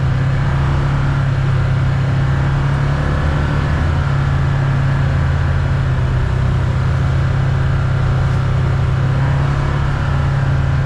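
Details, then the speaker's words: 2022 Can-Am Commander 1000R on test drive after front wheel bearing replaced with aftermarket unit, torqued to 76 ft-lb: steady low engine and drivetrain drone at road speed, previous screeching and chatter gone; bearing runs quiet. "Before it make an awful screeching noise whenever you get up to speed. Nothing."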